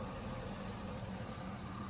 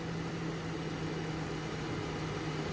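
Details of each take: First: LS-swapped truck at idle with fuel pressure back at 52 PSI after reconnecting the regulator vacuum line. Smooth, even idle with no stumble, no flashing engine light, misfire not active and good compression. Normal idle. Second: LS-swap project truck engine at idle after revving to about 1500 rpm, steady drone with faint uneven stumble; scanner shows cylinder six misfires return at idle and cylinder four still misfiring.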